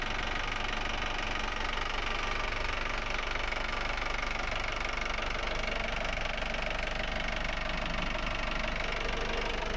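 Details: Volvo Penta AD31 diesel, port engine of Fairline Targa 28 boat, after raw water pump seal rebuild: steady diesel clatter at an even, quick beat, no misses or odd knocks; normal running.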